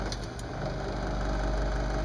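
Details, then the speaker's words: Lennox mid-efficiency furnace inducer fan running: a loud steady drone with a low hum and a rough, buzzy edge. The inducer motor bearings are probably worn out. "okay this is a lennox custom heat mid efficient furnace the inducer fan is making a whole lot of noise turn it on so that's this guy here"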